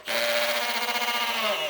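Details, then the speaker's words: Drill driving a screw with hammer mode wrongly engaged: whine with a fast buzzy rattle of hammering vibration, unlike smooth drill mode. "You hear that vibration? That's that hammering."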